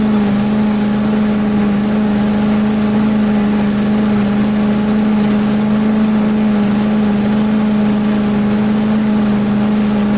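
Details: MTD push blower with 5 hp Honda engine, unused over two years, restarted on full choke after priming, air filter off: holds a steady, even high drone with no misses, surging or stumbling; runs cleanly.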